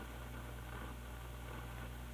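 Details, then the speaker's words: 1960s Lafayette LR500T transistor stereo receiver, mostly germanium: constant low rumble and hiss from one channel with no signal while the other channel is clean; failed capacitors were found during repair, and a dirty bass pot was suspected. "now a problem has become apparent and that is there's kind of a constant low rumble in one of the channels"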